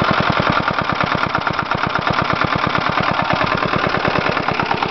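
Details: 1977 Briggs & Stratton 3HP lawnmower engine on a winter cold start: slow, even firing pulses, roughly eight a second, no surging; very low idle speed.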